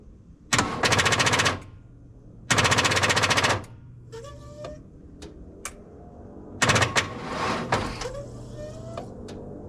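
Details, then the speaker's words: 1992 Ford F-150, 4.9L inline-six EFI: rapid chattering clicks in bursts, engine never cranks; battery won't hold a charge, starter solenoid suspected, not confirmed. "oh it's ready again now this thing I think we may have to replace the solenoid over here it seems like it's going all right battery will not hold a charge"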